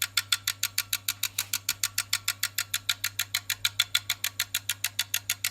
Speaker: yeah that's all it does No Light No nothing just click click click click